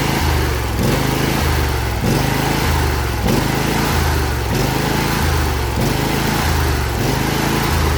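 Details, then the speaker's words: John Deere L118 mower, Briggs & Stratton Intek V22 twin, freshly reinstalled after blow-by repair, running to seat the rings; only the tiniest blow-by noted. Steady running with a gentle rise and fall in speed about once a second, healthy. "What I'm doing here is seating the rings."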